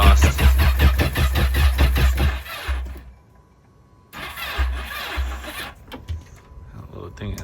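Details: Yamaha FX SHO supercharged jet ski being converted to FZR, priming with coils off: starter turns engine in quick even strokes about two seconds, then dies and stutters; weak cranking, battery has no juice left, jump pack dead.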